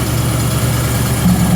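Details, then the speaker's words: Rebuilt Ford 351 small-block V8 on an air compressor (new rings, rods, timing chain, pump, bored 30 over), cold on choke: deep, steady low rumble, smooth even idle with no knocks or misses while warming up; normal idle. "Let it run a little bit and warm up."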